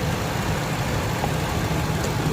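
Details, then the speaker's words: Ford high-top van warming up at idle right after a Noco booster jump start, unrun for over a month: steady low idle rumble with no misses, knocks or surges; runs normally. "just like that you guys if you can hear it running we can turn this off it instantly started it up"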